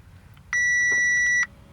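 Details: Crash-damaged Audi A4 S line, ignition on engine off, stored fault codes being cleared: single clean high-pitched dash warning chime lasting about a second over quiet background.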